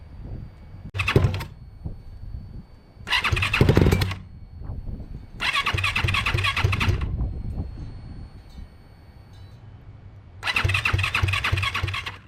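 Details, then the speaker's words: Turbo Yamaha YZ450F dirtbike, newly built engine, turbo not yet fitted: repeated short cranking bursts with sputters, never keeps running. Hard start. "I actually did get this thing to stumble a little bit, but every time I tried to record a video, it literally did not want to start."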